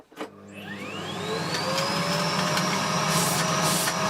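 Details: Bosch GS40 bagless vacuum, hose removed: motor winds up to a steady, strained high whine with no airflow change; clogged filter and filth restricting suction.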